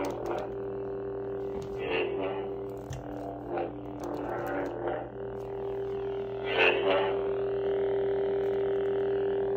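A steady low electric hum holds throughout, with swooshing swings over it; the saber's sound works normally.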